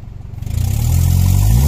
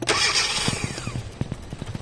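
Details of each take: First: 2012 Hyundai Accent automatic, after an ECU replacement: the engine picks up cleanly from idle and revs smoothly with no stumble, where it had stalled on throttle before. Power restored. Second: 2012 Hyundai Accent automatic with replaced ECU and new spark plugs: the engine catches, then sputters and dies into uneven, widely spaced firing pops when the accelerator is pressed. It stalls on throttle with no power; the cause is being traced.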